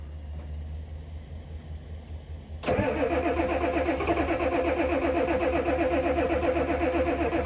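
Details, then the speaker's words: 1988 Ford F350 7.3 IDI diesel, sitting since the 1990s, cranked after glow plugs with starting fluid on very old, varnish-smelling fuel: slow cranking, then rough, uneven chugging at about four beats a second. It fires intermittently and owner suspects the bad fuel. "Well, it really wants to run. Unfortunately, I think this fuel is just awful."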